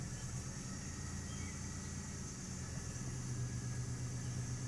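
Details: 1996 Buick Century 3.1 V6, about 134,869 miles (likely more), started after three months sitting on a battery from a Blazer: steady low rumble, even settled idle, no knocks or misses.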